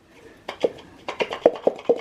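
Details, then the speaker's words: PVC inline check valve from a ram pump after 4 years of operation, with a metal spring inside, pressed by hand via its button. Sharp, crisp pops repeat about every quarter second as it seats cleanly, so the valve still works. "So I did try the valve out by pushing the button in here. It still works okay."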